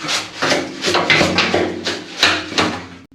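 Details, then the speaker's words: 1966 Ford Mustang fuel tank, removed and dried for days, tipped: gritty rattling and sliding in uneven bursts as loose rust flakes roll inside the corroded tank; untreatable, so the tank is being replaced. "it's full of crud in there loose crud that's all rust flakes that flaked off the inside of the tank"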